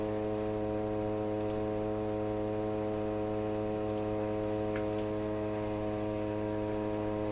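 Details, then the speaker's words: Rogers 11RA651 shortwave tube radio on the bench, before replacing the 6K7 and 6B6 tubes: loud, constant low hum with steady stacked tones; heavy hum, cause not yet found. "What's happened? She's just humming like crazy."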